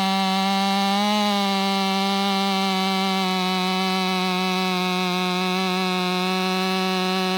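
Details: Ported Stihl MS500i (Empire Workshop) on a 32-inch bar with an unmodified MaxFlow plug-and-play air filter holds a steady high buzz evenly through the cut, without bogging or surging; pulling cleanly under load.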